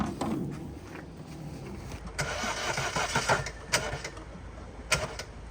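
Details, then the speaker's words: Flooded car after crossing a ford, start attempt after water was cranked out of cylinders 1 and 2 and the soaked air filter was pulled: uneven, labored cranking with sputtering bursts that never settle into an idle; water still in the engine. "Oh yes, there's water in there."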